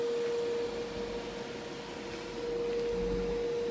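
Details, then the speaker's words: Hydro Flame RV furnace from a 1989 Teton Homes fifth wheel, bench tested after fan motor replacement: fan motor starts, then gas valve opens and burner ignites after a delay; quiet even blower hum, no knocks or rattles; operating normally. "there goes the motor and if it blows up it'll blow up here in just a couple seconds you can hear it fire"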